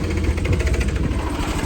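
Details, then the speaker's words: Polaris Ranger 900 XP side-by-side idling with heat shroud off, oil unchanged for 4 years: rough idle with quick light tapping over the firing beat; owner attributes valvetrain tapping to worn, overdue oil, not confirmed. "So I'm going to fire this thing up. You'll probably hear a little bit of a tapping. of the motor, because the oil is like got the equivalent of like 80,000 miles on it."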